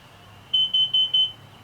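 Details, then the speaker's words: Motorhome with a leaking exhaust (owner suspects the exhaust gaskets), after running for a while: four sharp high-pitched beeps over faint rumble; the CO/fire alarm is sounding, cause suspected but not confirmed. "that is a kitty fire and fire alarm and carbon monoxide it's good to know that that that that works but in a motor home of course you've got the the doghouse here if your exhaust is leaking at all it's kind of a problem"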